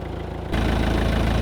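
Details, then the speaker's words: Old van diesel, low on coolant: fires up and idles with a loose, tinny rattle over the clatter. The exhaust was wrecked after being picked up on forklift forks. Exhaust rattle at idle. "that rattle it's just the exhaust yeah sounds good"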